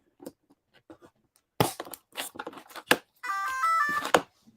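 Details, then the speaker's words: RC aircraft ESC at power-up, tried with new X-Fly motor and with original motor, both beeping: clicks then steady stacked electronic tones; suspected ESC issue, to be checked with programmer. "with the original motor and it's beeping as well oh it is too okay so that sounds like something in the ESC so maybe you want to connect the ESC to that programmer"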